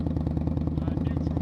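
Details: Indian Scout motorcycle after repair of a catastrophic fan failure (fan magnet broke up into shards and jammed; bearing fine), idling in neutral while watching temperature: steady, even low thump with regular firing pulses, no knocks or rattles; running healthy.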